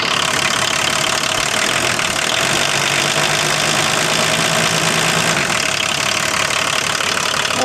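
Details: Diesel car, started after sitting a while. Steady, even idle, a soft low drone under a lot of hiss, no misses or knocks, runs happily. Normal idle.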